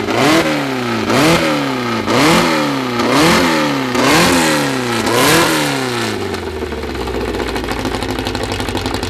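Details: First start of a newly assembled 2054 engine (Fusca): revs blip about once a second, then settle to an even fast idle at 1200 rpm, kept high so parts seat in; healthy.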